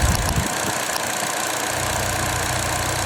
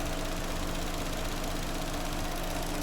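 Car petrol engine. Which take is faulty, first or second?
first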